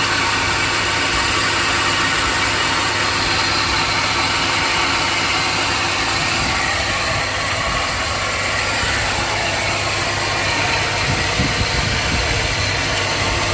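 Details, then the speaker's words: 2002 Chevrolet Silverado, Vortec V8 gasoline engine, hot, idling: rough, gritty grinding over the steady hum; owner suspects a bearing, not confirmed. "do you hear the sound i think that's uh maybe uh the bearing there"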